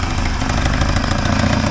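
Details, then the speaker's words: 1980 Triumph TR7 idling after earlier exhaust leak repairs: a rapid puffing tick over its low rumble comes from one remaining exhaust leak, to be fixed later. "other exhaust leak is right there so I'll get that fixed up tomorrow"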